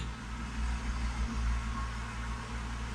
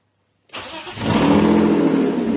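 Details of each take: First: BMW E36 drift car at idle after sealing exhaust leaks with cans and glue: soft, steady low rumble, no ticking or puffing, exhaust flowing out both pipes, very quiet and smooth. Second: BMW E36 drift car, started after exhaust leaks were patched: loud, raspy idle that sounds the same as before the repair; exhaust still leaking, possibly from the front flange area, though no leak is felt there.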